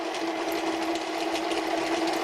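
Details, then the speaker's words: 6 mm drill on a lathe drilling a Ferm mini grinder holder: steady, even cutting hum, clear mid tone, no chatter or squeal; cuts easily and cleanly, leaving long stringy chips. "goes through very easy, very nice, except for those long and stringy chips."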